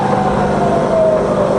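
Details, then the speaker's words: Fully rebuilt Bridgeport milling machine, variable speed head in low range, spindle from 120 rpm up to 280 rpm then back down toward the lowest speed; steady, even hum without rattles, clunks or grinding; normal quiet running. "okay so we're now in 120 rpm up all the way to the top that's 280 all the way back down to the lowest range"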